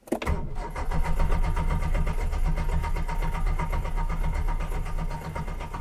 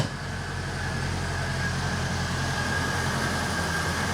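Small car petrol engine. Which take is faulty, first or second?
first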